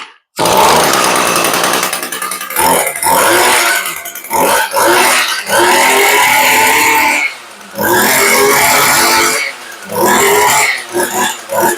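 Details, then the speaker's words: Echo two-stroke stick edger with rotating-slide carburetor, stored a long time, carb cleaned, first run: high, buzzy note that revs cleanly, returns to idle and picks up again without stumbling; runs well. "that motor sounds really good"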